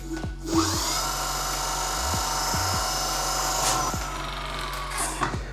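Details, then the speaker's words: Nanrobot D6+/D4+/LS7+ electric scooter, hydraulic disc brake after loosening caliper bolts, squeezing the lever and retightening: wheel spins with smooth motor hum, no scraping; caliper no longer rubbing the disc. "As you can hear, the sound is gone. This means that our brake caliper is not rubbing the brake disc."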